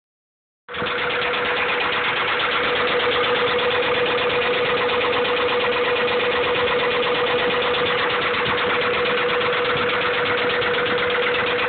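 Steady idle with a sharp, regular tapping near three per second riding over the engine; a deep knock from the bottom end. Cause suspected, not confirmed.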